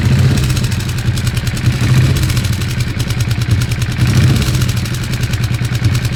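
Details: Weird engine sound: steady idle with a light clatter of irregular timing over the low engine note, something loose or ticking, cause unclear.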